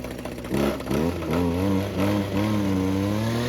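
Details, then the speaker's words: Old Husqvarna two-stroke weedwhacker with a newly replaced carburetor. Revs rise and sag with a wandering pitch and never clear, because it gets too much gasoline. Running rich; the owner suspects the choke is installed the wrong way. "gets too much gasoline."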